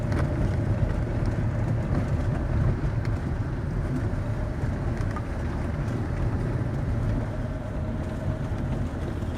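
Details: Fiat Scudo 2008, about a year and 10,000 km after steering shaft repair: even road rumble while driving, no clunk or knock through the steering; the steering column is quiet and the shaft no longer knocks.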